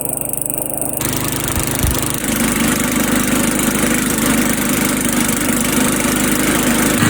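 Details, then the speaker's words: Old Sears Craftsman Eager 1 mower, single-cylinder Tecumseh engine, air filter installed, smoking off; steady fast, even putter around three to four beats a second, loud and raspy exhaust but healthy. "So I figure with the way the weather is right now, this might be the best time to let it smoke off. But boy, is that exhaust loud."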